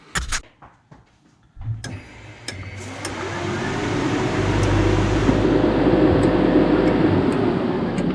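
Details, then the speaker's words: 1986 Mazda RX7 FC with LM7 5.3L LS swap, after wiring a new relay block: relay clicks, then a steady fuel pump whir and rising front fan rush. Voltage held with everything on and nothing bogged down; pump and fan work properly. "God, dude, so much better. Like, you heard me turn everything on and everything stayed at the voltage that it needed to keep running. Nothing bogged down."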